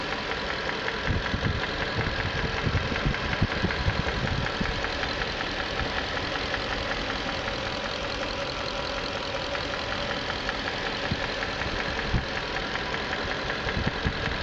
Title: 94 Q45 valve and timing chain noise